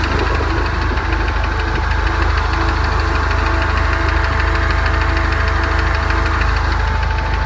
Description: 2017 turbo mustang engine knock